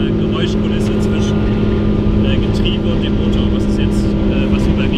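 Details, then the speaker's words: VW Beetle electric conversion with Nissan Leaf 80 kW drivetrain, driving at almost 70 km/h: a steady gear whine over road noise from the roughly 60-year-old original Beetle gearbox, whose history and oil are unknown. "first we only hear the gearbox the original Beetle gearbox if ..."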